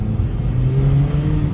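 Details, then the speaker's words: Toyota RAV4 on a test drive after rear drive shaft installation, windows down: a loud, deep droning rumble under acceleration from a bad exhaust leak, plus humming from a tire. "all right so this uh vehicle got really bad exhaust leak I told the guy that needs to fix that leak it's really loud I don't know if you can hear it"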